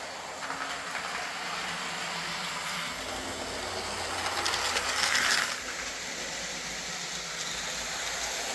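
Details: Old Lima Class 40 model locomotive in BR green, after repair with a completely replaced motorised chassis (original front bogie faulty, wouldn't run): soft steady hum with light hiss swelling briefly then easing, no knocks or rattles; quiet, normal running.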